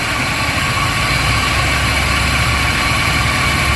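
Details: 2002 Chevrolet Silverado, GM Vortec V8 gasoline, engine hot at idle: coarse, uneven grinding rumble over the engine note; owner suspects a bearing, cause unconfirmed.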